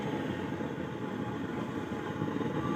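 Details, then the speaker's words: Samwon AV-602USB/BT amplifier, nothing playing: a loud, steady rushing hiss; removing the input to the main amp stops it, so the fault lies in the mic or tone control section. "hindi pa natin pinatugtog napakaingay na yung hagas niya ah"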